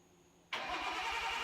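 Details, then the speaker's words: Nissan Skyline, first start after sitting two years, on two-year-old gas (quarter tank). It catches almost instantly and settles into a clean, regular low pulse with no oil leaks seen: a healthy start. "i think first startup in two years it started almost right up and it sounds to be running clean it sounds running pretty good so that's good doesn't sound like it's doing anything weird"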